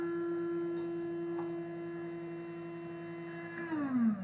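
Small motor holds a clean, steady hum for several seconds, then drops smoothly in pitch as it spins down; it is running normally.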